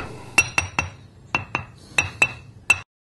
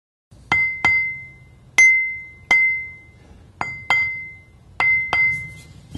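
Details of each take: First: now that same stone only this time with a crack notice how dead the sound is there's no ring to it Second: Ring test of a grinding wheel hung on a support smaller than its centre hole, tapped about 45 degrees either side of the centre line, then turned 180 degrees: each tap gives a clear, lingering bell-like ring, so no crack.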